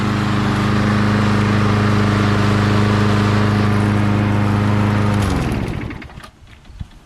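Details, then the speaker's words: Lawn mower in chilly weather after about 10 minutes of running: holds a steady, even beat with no hunting or the earlier surging, then switched off and winds down near five seconds; normal running. "so as you can see after me running this for about 10 minutes or so it no longer uh surges sounds good"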